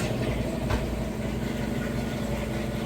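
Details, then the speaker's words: Couple-years-old Amana top-load washer, normal cycle, deep water wash: smooth constant low hum at full final spin speed, no thumping or banging, well balanced; normal final spin. "the fastest final spin, so you can see that it's nice, smooth, and sounds great during that operation."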